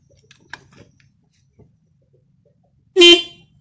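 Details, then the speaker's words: Single-terminal horn wired without relay: quiet room, then one short, bright honk of about half a second; clean, steady tone, working normally. "ya Bunyi ini kalau pemasangan single-single kaki ya bukan single parent tinggal berarti tinggal kaki-kaki itu kalo masang tanpa relay seperti itu"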